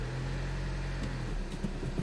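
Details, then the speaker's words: VW Jetta TDI manual after clutch kit and flywheel replacement, in first gear releasing the clutch: steady low diesel hum, and the earlier grinding on clutch release from under the hood is gone; clutch engaging cleanly, fixed. "the noise is no longer there so this is fixed guys"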